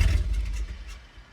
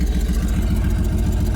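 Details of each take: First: Dodge Dakota regular cab with manual clutch, just fitted with a used transmission: engine fires briefly with a short low burst, then dies within a second; out of gas suspected; engine starts then stalls. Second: Dodge Dakota regular cab after used transmission fitted and fuel added: steady, even low idle with smooth regular beat, no misses or knocks; normal idle.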